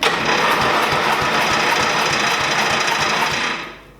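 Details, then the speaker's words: 1988 Dixon ZTR 311 mower with Briggs & Stratton 11 HP engine, air filter removed, choke on: steady starter cranking about four pulses a second that never catches. No fuel reaching it, fuel starvation; runs after fuel added. "ah there's nothing if we just put a little bit of fuel just to remove this right here we go"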